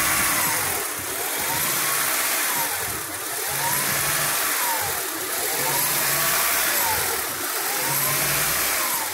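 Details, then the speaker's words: 2000 Honda Prelude SH (H22) idling off the pedal while still warming up: rpm hunts up and down about once a second; steady when held higher, no misfire, worse once warm; surging idle, later fixed. "but if I let it sit down at idle this is me off the pedal it just does this at an idle until it starts warming up"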